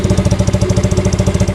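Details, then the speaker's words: Yamaha Mio Sporty 115cc scooter idling with newly installed ORBR V2 open chicken pipe: loud, even popping about ten pulses a second with faint puffing; small exhaust leak, expected by owner to go away. "Yan yung tunog na pag naka-idle siya, no. So yung leak dito, meron siya konti nga lang, pero mawawala din yan."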